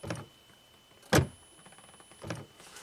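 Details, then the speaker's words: 2012 Buick Enclave power liftgate latched shut, no DTCs: three short latch motor whirrs about a second apart as the handle switch is pressed, with no release after. Latch motor release command goes active then inactive but the gate stays shut. "so you can hear something's happening foreign this thing tried to do something"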